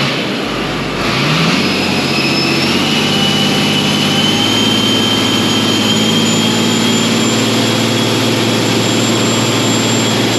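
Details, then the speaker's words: 8320 diesel after engine teardown with injectors sent out to D&W, muffler off: crisp, even rumble with no knock at idle or as it picks up; runs a lot crisper now. "Lot crisper. It's a lot crisper right now. Yeah. Good."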